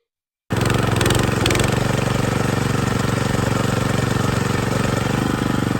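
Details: John Deere 220B reel mower after replacing the sprocket and chains inside the transmission to cure a noise on reel engagement: the engine catches at once and runs with a steady, even beat, no clatter or grind.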